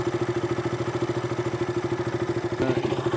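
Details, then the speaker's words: KTM RC 200 single-cylinder idling after repair of stalling, unstable idle and a spark-like snapping sound; now even steady thump, no RPM variation, no ticking or snapping. "Variation issue ഒന്നും കാണിക്കുന്നില്ല. സൗണ്ടാണെങ്കിലും നിങ്ങൾക്ക് ചെക്ക് ചെയ്യാം. പ്രശ്നം ഒന്നും കേൾക്കുന്നില്ല."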